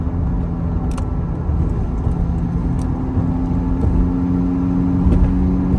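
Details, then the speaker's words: Lexus IS 250 being rebuilt after a side hit, driven in rain: a low droning hum over wet road noise rises with speed and changes when weight shifts side to side. It is a worn wheel bearing, and a torn, grease-slinging drive axle was also found. "you can hear a change with the speed of the car and it definitely changes when you shift planes side to side"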